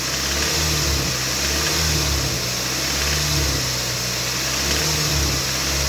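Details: Toyota MR2 Mk3 Roadster laid up a long time, fresh fuel and new battery: engine held at steady revs, rattle occurs around 2200–2500 rpm; hissy metallic rattle with no clear beat, source not yet diagnosed.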